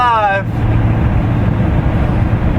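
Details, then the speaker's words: 2001 Ford Taurus wagon, 194,000+ miles, after driver-side rear wheel bearing replacement: steady even road rumble at highway speed, big whine gone; other side's bearing still faintly heard and needs doing; driver side bearing now normal. "sounds pretty good i can't hear the other one just slightly but the big wine is gone the big going down the road is gone so it's success on the driver's side"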